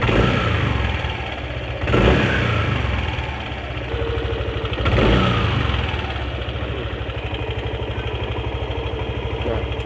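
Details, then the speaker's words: Yamaha NMAX: smooth under throttle, but a rough uneven rattle about three per second at idle and when closing the throttle; loose CVT slider found, but noise disappears when tensioner is pressed, pointing to a failing cam chain tensioner. "ini lembut motor tuh kayak enggak ada masalah ketika digas pun dia lembut juga lembut tapi pas ketika turun gas dia ada bunyi KTP KTP"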